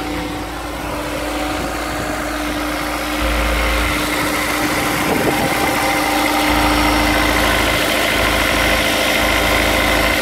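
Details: Honda S2000 at cold start idle: steady light knock at roughly four per second over the engine; owner suspects rod knock, not confirmed.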